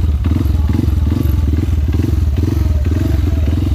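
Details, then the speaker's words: Honda CRF150L single after riding through a river; deep clean exhaust beat rising and falling through repeated throttle blips, no knocks or rattles; engine sounds healthy with good power. "sejauh ini knalpot paling gua suka ini guys suaranya adem enak digeber ngeblar ya guys ya tenaga keluar"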